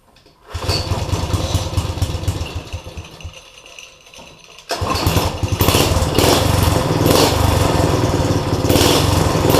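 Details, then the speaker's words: Go-kart with a replacement small single-cylinder engine and newly built exhaust; catches after a couple of pulls and settles into a steady, even putter with clean throttle pickup; runs fine after an oil-soaked air filter was removed. "do well guys it runs fine it wouldn't start with the uh air filter that was in it it was oil soaked"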